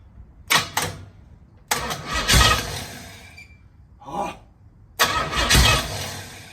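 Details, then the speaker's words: 1968 Pontiac Firebird project on a start attempt: several short cranking bursts with the starter churning, but it never fires. Gas has reached the carb, there's already a fuel leak, and the owner suspects the ignition timing is off. "little well I can hear it squirting my timing might be off that and I've got a gas leak already yay"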